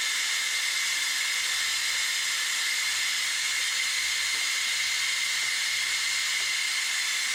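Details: 2016 Ram 3500 dually, 6.7 high-output diesel, during a Water Wetter coolant exchange: the air-driven coolant evacuator gives a steady high level hiss with no pulsing as it pulls vacuum; normal operation.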